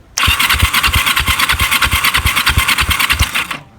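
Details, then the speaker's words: Kawasaki EN450 bobber cranking with throttle open and power on: starter turns about three beats a second with weak, uneven compression pulses and no firing; low compression, owner suspects pistons on the left-hand side. "even worse all right so that might well be pistons on the left-hand side"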